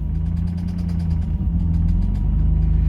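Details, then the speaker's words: 6th-gen Nissan Maxima, manual, with four-inch intake and gutted intake manifold, just started: quick, steady light ticking from the engine over a rough, low idle. "so as you can hear we got we got some ticking coming from the motor"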